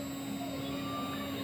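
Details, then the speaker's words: Replacement GDZ-80-2.2b spindle on a Laguna IQ CNC, started from a profile program at about 17,500 RPM: a clean, steady high hum near 290 Hz with no grinding or wobble. The new spindle sounds healthy and quiet. "okay so I kicks on and this is supposed to be about 17 500 RPM"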